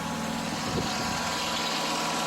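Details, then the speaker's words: John Deere 652R mower engine after replacing a badly stretched drive belt, run with the overheated PTO clutch removed to check for other engine noise: steady, even note with constant hiss, no knocking or squeal; normal idle. "Nice. Much better. Now, I don't have the clutch on there, that's fine. I'm wanting to hear what it sounds like without that clutch on there, to see if there's any other noise coming from that engine."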